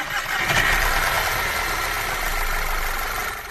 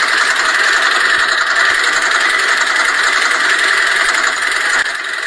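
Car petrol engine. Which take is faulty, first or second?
second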